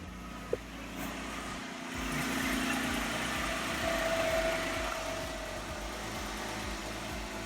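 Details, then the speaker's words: Jeep Wrangler freshly rebuilt after eight weeks, steering line replaced, idling before warm-up: quiet, even idle settling down with no knocks, ticks or rattles; no weird noises, engine sounds good. "Okay, I don't hear any weird noises. Idling down good, sounds like everything's good."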